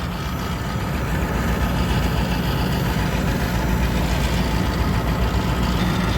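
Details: Truck "Blue" settled into a steady, smooth low idle with no misses, knocks or hiss after fuel filter replacement; no leaks found at the new filter lines.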